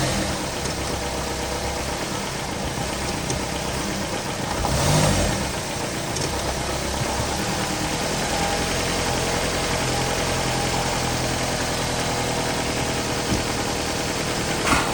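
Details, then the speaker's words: 2019 Ram Promaster City after rear bottom engine mount replacement, idle with brief rev while shifting into reverse and drive, rain hiss; no thumps or shudders, vibration noise about 90% less; engine sitting firm. "Now there's no more vibration noise anymore. So before there was a lot of vibration noise. Now it's about, I would say, 90% less, and I don't feel the engine jumping when I shifting through gears."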